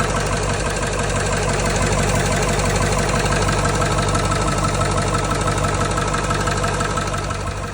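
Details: Diesel knock at idle on a 2000 Ford 7.3 Powerstroke: fairly regular knock about three per second over the rumble; owner unsure whether injector or engine bottom end.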